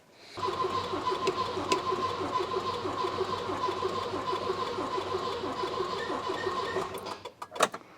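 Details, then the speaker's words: Volvo 240 after refitting fuel tank and new fuel lines: even starter whir cranking about seven seconds, never firing; ran earlier from a remote fuel bottle; spark and fuel delivery to the carburetor not yet checked, cause unknown. "So she cranks quite well, chokes out."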